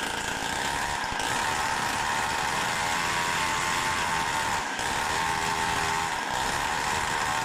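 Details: Samurai 40cc modified two-stroke with new CDI box and heat sink, ignition advance readjusted: buzzing hard but uneven, sputtering and not revving cleanly; ignition advance probably too late, next trying 10 degrees more.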